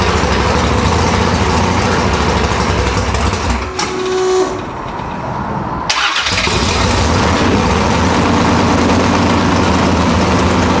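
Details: Nitrous Nova big-block V8 after replacing two pistons (one was found burnt), reinstalled: loud, lumpy rumble with a brief dip as it catches, then a steady throaty idle with no knocks; healthy start.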